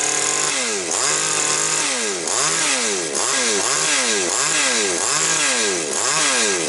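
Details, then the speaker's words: Chainsaw that had surging revs and stumbles and ignored carburetor adjustment, after repair: quick even revving blips about one a second, rising cleanly and dropping back. "Ну, бачите, працює добре. Зараз, секундочку, я перепрошую. Значить, дивіться, все пішла в роботу, дякувати Богу."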